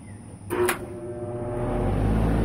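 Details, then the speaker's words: AC compressor whose capacitor and windings check out fine, not grounded or in thermal overload, tried during an amp-draw check: a click, then a low steady hum swelling without spin-up. The rotor is locked and won't break free; a hard start is next. "The compressor just doesn't want to break free. I'm going to try to bump it with a hard start."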